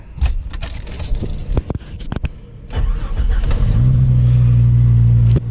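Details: Jeep YJ: after startup, a steady low drone over the idle until it cuts off; the old brake booster is totally shot, to be replaced with a dual-diaphragm GM truck brake booster.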